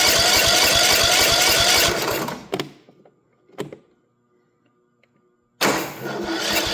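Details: Troy-Bilt mower with Kohler 18 hp after carburetor fuel solenoid replacement, choke on, solenoid clicks: steady starter cranking at about three and a half pulses a second for two seconds, then silence; never catches, fuel reaches filter, cause unconfirmed. Cranks but won't start.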